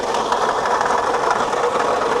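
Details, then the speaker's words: GMC Denali at idle: constant gritty crunching rattle; water pump pulley next to alternator visibly wobbling, worn water pump bearing, likely not cooling well. "I'll bet we've got something going on with the pulley maybe power steering or something boy that sounds crunchy right oh I see what it is oh man wow is that the water pump the water pump is just bouncing around under there"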